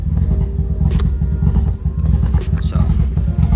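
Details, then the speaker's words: Mazda RX7 FC3S rotary on a Haltech Elite with a baffle fitted, cold start: a lumpy, uneven low idle with irregular pulses and stumbles, running rich on an untuned cold-start coolant temperature correction map. "Hear how it's all choppy, sounds like a Bridgeport. Basically, I need to work on that."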